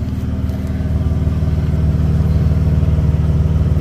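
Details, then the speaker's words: Ford F250 Super Duty, warm idle, heard from underneath near the exhaust: deep, steady burble with no leaks. The exhaust hanger is not yet mounted, and the truck runs a little rich. Healthy exhaust note. "you can hear the exhaust. It sounds pretty good."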